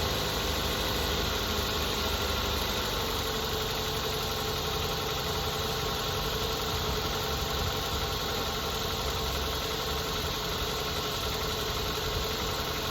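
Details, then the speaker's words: 2008 Mazda 3 2.3 DOHC 16-valve four-cylinder after replacing the coil packs and spark plugs for a cylinder three misfire; an even, quiet, smooth idle with a steady hum, check engine light still on; normal idle. "seems to be nice and quiet now."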